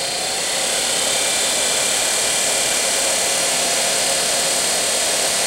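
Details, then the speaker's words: Daewoo Nexia heater blower motor after brush repair, tested on a bench power supply: smooth, even high-pitched whir at full speed, no scraping or rattle; motor restored, extraneous noises gone, brushes still bedding in. Earlier: fan speed dropped, then blower stopped. "Как видим печка вполне Рабочая то есть вентилятор двигатель мотор полностью восстановлен шумы посторонние ушли"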